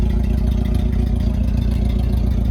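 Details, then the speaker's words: 1990 Mitsubishi Mighty Max pickup: low idle with uneven loping beat as one cylinder drops out; steady misfire at idle, owner suspects a burnt valve rather than tune-up issue, not confirmed. "Like I said, I'm starting to think that the misfire is from a burnt valve. I don't think it's tune-up related, which is a shame because this is a good-looking truck."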